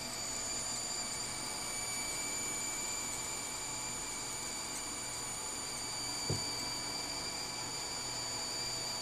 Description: Power supply (PSU) with electric buzzing sound. Noise gets louder the more load is put on the PSU, too much and it shuts off.